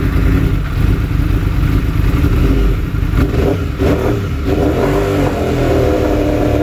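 Revving bike engine stumbles and dips unevenly for a few beats midway, then recovers; an intermittent misfire, cause not yet clear.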